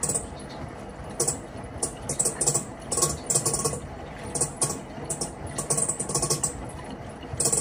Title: Panasonic washing machine abnormal sound inside.